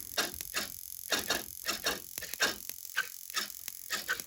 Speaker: This is what happens when you have a loose spark plug cap. It twitches all your servos. You can hear it. Even the throttle's twitching a little bit.